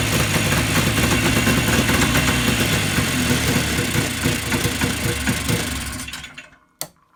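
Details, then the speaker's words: Yamaha Enticer 300 snowmobile two-stroke, unknown year, 120 psi compression per side, restarted after fuel supplied: buzzes evenly about six seconds with no stumble or knock, then shuts off; running healthy. "Well, that seems to work okay. Good stuff."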